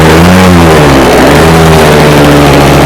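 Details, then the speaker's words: Early-1970s scratch-built radio-controlled boat engine, not run for about 20 years, started after lubricating: small engine running strong and steady with even beat and slight rev rise; healthy running. "start up quite quick that did for I mean I don't think he's gone in 20 years is so that's not bad is it that sounds quite bloody good"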